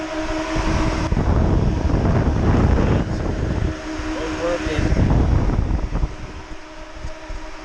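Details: Nissan Hardbody with aftermarket electric fans replacing failed clutch fan, new harness, ignition on and fan switched on after fixing reversed wiring: steady whirring hum rising as fans start, running evenly; working normally.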